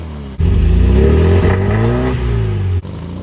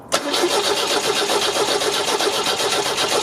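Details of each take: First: 1974 MGB after full engine rebuild and new spark plug wires, briefly warmed up: clean idle, possibly slightly low, then smooth free revs with crisp pickup and no stumble or misfire; normal. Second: 1974 MGB after new spark plug wires: starter cranks about four turns per second with no firing at all; no spark because the distributor came out when a plug was pulled and needs reseating.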